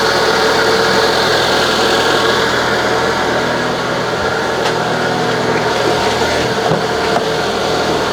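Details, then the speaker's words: Citroën BX with a replacement suspension and brake hydraulic pump, just started while the pump is probably still empty; even, steady mechanical whirr with a light rattle and no grinding or knocking; much quieter than before, pump running normally. "Oh, straight away it sounds a lot better. Still noisy, but that is to be expected, I think, especially now that the pump is probably completely empty."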